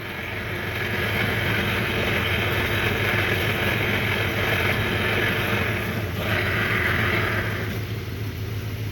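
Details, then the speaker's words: 1993 Johnson 15 hp tiller two-stroke outboard after a carburetor clean: steady, even drone holding a constant speed for several seconds without stumbles or misses; normal running. "hey you see this motor runs really good now i have the car clean you can really ask much better than that"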